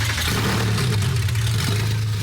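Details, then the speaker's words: Porsche 964 flat-six, first start after a part was turned 180° and re-stabbed, no muffler, true dual exhaust: loud, even idle with a steady deep note and no misses or knocks; normal running. "that is loud that super loud obviously you still don't have a muff on it"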